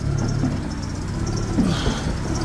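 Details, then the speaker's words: 2002 Citroen Saxo VTS project car at idle: deep, uneven lumpy idle with a loping rumble and a faint chirp. Rough idle; high-lift cams suspected but unconfirmed, and a terrible squeak the owner thinks is from a belt. "many issues. We pop this up. So it's got a lumpy idle. I've been told it's because of high lift cams, but not sure how true that is."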